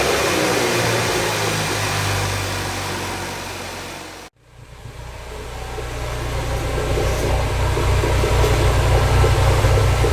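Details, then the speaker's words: Flooded salvage Ford Focus RS first start after rebuild, warming up with flood smoke: steady, even idle with low smooth pulse and crackle, no knocks or ticks; normal warm-up. "so I'm gonna keep letting her warm out the whole shop a smoked out but she sounds amazing I just listened to that crackle"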